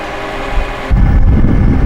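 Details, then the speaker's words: V6 Toyota Camry just jump-started with a JFEGWO F40 4000A jump starter, now unplugged: the engine settles into a steady low, even idle with no knocks or misses, a normal healthy idle. "right so as you can hear the vehicle started but what you want to do is you want to leave the car running for maybe 20 minutes so that the alternator can recharge the battery so that you can start the engine again on its own"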